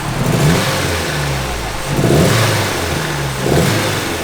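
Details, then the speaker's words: RWD-converted Honda Civic at the track: engine revs in surges about every second and a half, stumbling and breaking up as it pulls; misfire that worsens under load, cause unknown. "and under load it only gets worse so looks like this honda's done for today"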